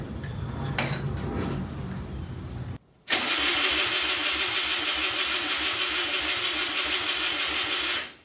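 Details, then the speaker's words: 1964 VW Beetle engine sitting over 25 years: starter churns about three turns a second for five seconds, never catches; fuel pump freed with WD-40 but pumping very slowly, fuel starvation. "Yeah, it's pumping real slow. Real slow."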